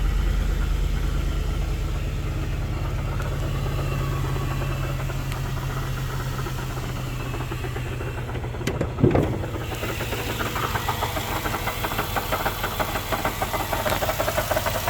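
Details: 2004 Jaguar XJR: low rough idle below target with restricted performance code; irregular clanking knock about three a second from the supercharger, caused by the rough idle.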